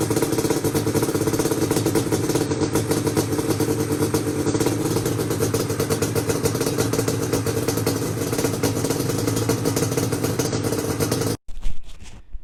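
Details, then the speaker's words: Yamaha Banshee two-stroke twin that would not start, now running after its reeds were cleaned; owner suspects the old gaskets had failed. Crisp, even two-stroke buzz with no misfires or stumbles, then cut off; running clean and healthy. "the banshee is running it started right up after i went into the reeds and kind of cleaned them out like i said"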